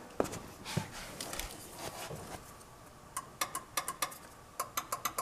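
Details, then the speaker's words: GM power door lock actuator (DC permanent-magnet motor, rack and pinion, used 1970s–mid-90s): relay clicks sharply in quick bursts but no motor whirr follows; actuator in the door does nothing. Faulty actuator, relay power to be checked with meter. "can hear the relay, but the actuator in the door not doing anything."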